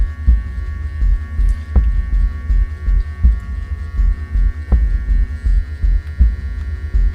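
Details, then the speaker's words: Hornby GWR freight set locomotive running slowly with crane wagon and brake van: loud, low buzzing hum throbbing about every 1.5 seconds; motor unusually noisy at low speed, possibly the controller, not confirmed. "let's do this slow test well that's very noisy let's go forward Sam test slow test very noisy"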